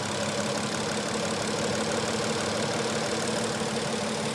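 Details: Petrol engine idling after an oil change plus a quart of ATF added: faint quick lifter ticking remains but is much quieter than before.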